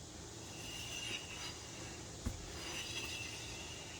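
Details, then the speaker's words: 2008 Honda Ridgeline, rear wheel hand-spun with pads still fairly thick; faint continuous scrape with brief squeals each turn; unsure whether the emergency brake or the brake pad drags; rear brake rubbing. "I don't know if that's the emergency brake or the brake pad."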